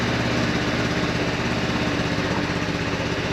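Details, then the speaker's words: Modenas Elegan 250 scooter idling right after fitting a new YTX12-BS battery (meter showing 12.3 V), dashboard no longer restarting: even, steady putter of a small single with no misses or knocks; normal idle. "Kita try start Tengok ada restart lagi tak dashboard ni. Tak ada dah."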